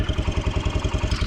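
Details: Kawasaki Brute Force 300 ATV with a Kymco engine, after a valve adjustment and gasket repair. Steady, even single-cylinder idle with low pulses about nine per second and no ticking or misses; normal idle, though a slight chirp from below is noted elsewhere.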